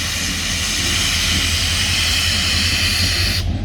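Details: Escanaba & Lake Superior Railroad SD40 locomotive no. 503: a loud, steady hiss over a low diesel rumble that cuts off sharply near the end. Abnormal loud hissing, not its normal sound; cause unknown.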